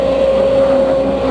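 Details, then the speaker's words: Case CX210B excavator that goes low on power after about 5 minutes of work: steady high-pitched whine over the engine drone while working; main pump noise suspected, not yet confirmed. "Ya, baiklah pemirsa, ini kita duga sudah mengalami noise di main pumpnya."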